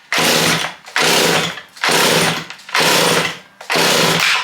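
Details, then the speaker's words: Stihl chainsaw bought as parts, high and low set 1.5 turns out, half choke: five rasping pull-cord cranks about one per second, never catches or fires; engine flooded. "Now, we definitely flooded it."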